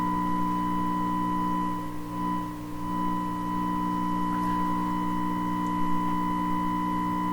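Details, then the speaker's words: 1928 RCA Victor Model 28V radio, 1000 Hz modulated test signal injected at an earlier stage after restoration: clear steady tone over low background hum; stage passes signal, hum source not yet found. "So there's a bit of a hum and stuff in there, but you can certainly hear the 1000 hertz."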